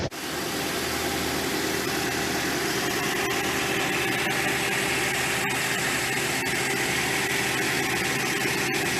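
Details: 2015 Toyota Corolla with misfire codes P0351, P0353, P0354 in ignition coil circuits; settles into a steady, even idle with no stumble or skip.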